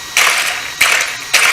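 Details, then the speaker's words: WL Toys 12428 RC desert truck fitted with a Twin Hammer 1/10 rear axle, given three short throttle blips: a high electric whir with rattling clicks as the driveshaft, at too steep an angle, jumps around; the angle needs adjusting. "can hear jump around so if you can press the driveshaft a little bit and then give it some she she works"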